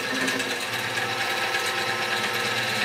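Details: X2 mini-mill (CX605) gear noise: busy rattly whir with uneven chatter over the motor hum from poor gear mesh.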